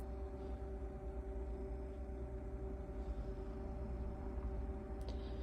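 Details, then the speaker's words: 2002 IH motorhome heater: steady even fan hum with low rumble, no rattles, while waiting for the igniter to light; normal operation. "any second now there you go so it's basically just lit up and it will carry on pumping out the hot air until we get to whatever temperature we we set it to"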